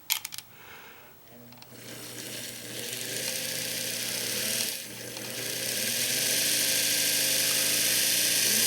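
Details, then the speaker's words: Sewing machine motor made in May 1971 spins up to a steady, smooth hum with bright brush hiss and no rattle. Its bearings are good, with no shaft side play, shown for comparison with the Singer Quantum XL1000's worn-bearing motor. "and notice i'm trying to move this from side to side and i get nothing that's because the bearings on this motor are good"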